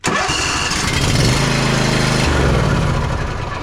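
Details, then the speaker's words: John Deere Z345E zero-turn with a Briggs & Stratton V-twin ReadyStart engine, which outside only cranked without starting: it catches and runs roughly with an uneven chug for a few seconds. "Just turning and turning and turning it over and it not doing anything is what this thing did the entire time outside."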